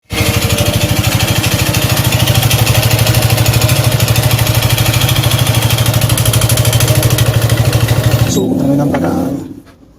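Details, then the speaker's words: Suzuki Gixxer 155cc at steady idle: harsh rattly clatter on every firing stroke; failed cylinder found on teardown, piston slap. "Aquí está el problema. Es aquí donde está el problema principal en cilindro fallado. Si lo pueden ver ahí. Ahí. Y por eso suena así."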